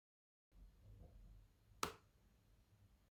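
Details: 2019 MacBook Pro 16-inch: a single sharp pop or snap from the chassis in a quiet room, presumably as the laptop heats up after waking from sleep; unrelated to the speaker issue; heat-related creak suspected.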